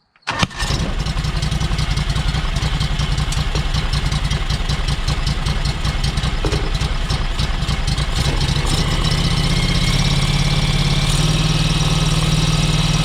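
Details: John Deere X585 engine, started after cleanup while wiggling the line under the pressure sensor: catches and settles into a lumpy, uneven idle beat that firms up a little later; running poorly, line not thought busted, cause unclear.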